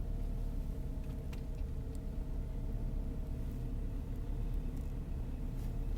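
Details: 2003 Saab 9-5 with newly installed B235R turbo four-cylinder, first winter cold start: deep steady rumble with no misses or knocks, settling into smooth even cold idle; idle slightly fast, owner thinks because cold; runs good.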